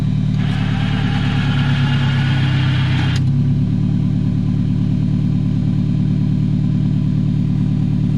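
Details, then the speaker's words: 1999 Toyota RAV4 AWD used for plowing snow, battery not good: after a brief burst of outside noise, steady even low idle with no stumble or miss; owner says no miss and it burns no oil, running healthy. "it not a miss there's no miss in this engine again another steady engine no movement doesn't burn any oil"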